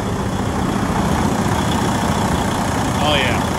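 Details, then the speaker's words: Detroit DD15 diesel after repair: loose exhaust-side valve bridge bolts were retorqued. Oil pressure is just under 75, and the idle is steady, even and deep with no valve-train rattle or chatter, much better than before. "Oh yeah, sounds much better than before."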